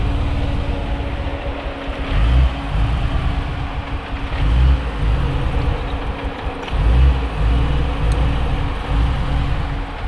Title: Unplugged tps bf xr6t rough idle